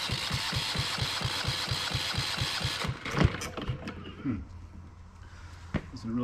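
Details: Yanmar 1GM single-cylinder marine diesel in a shop, while the fuel system is being bled: even starter cranking at about two compressions a second for three seconds, never fires, then goes quiet. Cranks but won't start.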